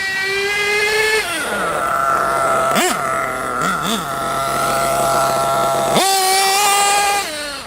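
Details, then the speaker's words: Nitro RC engine after low-speed needle was richened about half a turn: idles with a thin buzz, then revs cleanly off idle with a big puff of smoke, blips twice and pulls hard with wheelspin; normal, healthy take-off. "That's what it should be like, a nice big puff of smoke, and it should just go."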